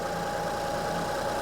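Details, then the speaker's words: 2005 Honda Odyssey at idle, steady hum with a faintly uneven, stumbling beat; cylinder 3 misfire traced by secondary ignition waveform to a bad cylinder 3 coil; one coil and six spark plugs recommended. "okay so bad ignition coil yeah so this so the third ignition coil is bad I'm going to recommend replacing one ignition coil and six spark plugs"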